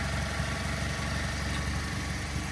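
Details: 2010 Mazda3 i four-cylinder, 170,891 miles, recently given new spark plugs and coils, an oil change and a transmission fluid and filter change: a steady, even low rumble with no misses, ticks or knocks. Normal idle.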